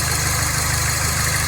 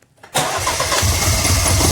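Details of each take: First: Mini Cooper S idling after a second high pressure fuel pump replacement cured a crank-no-start; steady even low beat, slight hiss, no misses or knocks; actual fuel pressure now close to target. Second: Mini Cooper S crank-no-start, high pressure fuel pump already replaced once: brisk steady cranking about three seconds, never fires; pump gets power, ground and control but no pressure, so the replacement pump is faulty; new pump fixed it.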